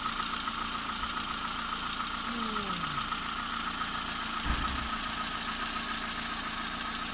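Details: VW Polo 3 engine, bought and just installed, idling: steady fast light top-end ticking over a smooth even idle; owner says the noise was present cold and should fade, cause not yet clear.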